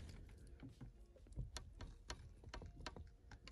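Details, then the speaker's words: BMW E36 coupe manual sunroof, rubber seals sticking with age: scattered sharp ticks and soft creaks as the panel slides open, seals slightly stuck and peeling free, mostly at the start. "y ahora grabando el otro lado escucháis un poco si hace el sonido de que las gomas están un poquito pegadas y se escuchan"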